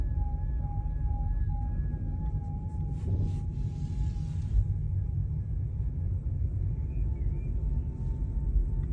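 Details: VW e-Up driving: an intermittent high whistle or whir from the rear of the cabin that fades and returns, is not speed dependent, and has no clear cause.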